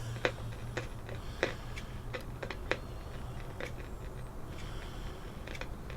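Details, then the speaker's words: 1957 Bush VHF64 valve radio during recapping, on medium wave, not FM: irregular sharp crackles and pops about once a second over a low hum; crackle stopped when EF89 valve pulled and was cured by swapping the EF89. "so if I just tune between stations you don't seem to be getting that crackling on FM seems to be on IM only put it back on medium wave and there we are again not as bad but it's still there"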